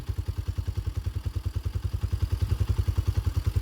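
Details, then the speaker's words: 2021 Tao TBR7 250cc dual sport single after top end rebuild, EGR removed and capped: even low pulses about six or seven a second at idle, no ticking or clatter; runs good and quiet. "Pretty quiet too."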